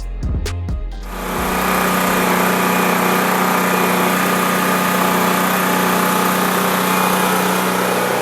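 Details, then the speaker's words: Honda EB3500 generator revived after purchase: catches after a few cranks, then settles into a steady, even hum with no misses or hunting; earlier smoke thought due to slightly overfilled crankcase or oil in cylinder; runs clean. "okay shout out to honda honda you're incredible the goat so all that smoke blowing out of there must have just been because that crank case was a little bit filled"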